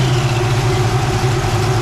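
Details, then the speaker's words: 1965 Mustang Fastback GT350 tribute, dual exhaust, at fast idle warm; faint even whine over steady V8 idle is the electric radiator fan with shroud and new aluminum radiator starting up, nothing wrong. Normal electric cooling fan whine. "it's got a really nice electric fan nice shroud in there big aluminum radiator keeping this thing cool but that was what that started up again will you be that's what that noise was"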